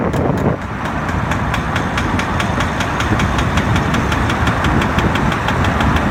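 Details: BMW E60 driving, in D: steady knocking about five times a second with wheel speed and body vibration, gone in neutral; flex disc and center support replacement didn't help; worn outer CV joint, fixed by replacing the driver's side rear output shaft.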